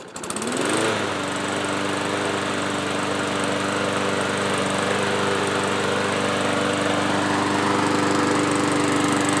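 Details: Yard-Man push mower after carb cleaning, service and blade sharpening: quick pull start, then a smooth steady buzz holding one pitch with no surging; runs normally, surging fixed.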